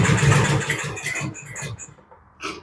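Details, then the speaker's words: Husqvarna with a clogged carb and the air cleaner off: it kicks a few times with uneven chugging pulses, then dies without catching. Hard starting; owner suspects a clogged main jet or emulsifier. "Now I can hear something on that one. She almost wants to start. You hear it kicking?"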